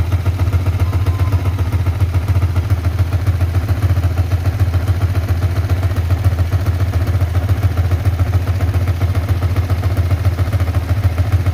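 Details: Yamaha Vixion NVL after repair, with oil confirmed reaching the cylinder head: a steady, even, slightly heavy and high idle with no top-end ticking. It is healthy, and the smoke is leftover oil burning off.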